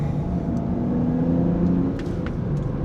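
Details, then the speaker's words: $2,000 impound BMW 335i N54 after fixing boost leak (snapped vacuum line nipple, canister bypassed): smooth pull under throttle, steady drone, no stumble; boost normal, no longer dropping into 30FF fault, battery light still on. "I could feel it boosting. And last time, as soon as I pressed the throttle, it kicked into 30FF."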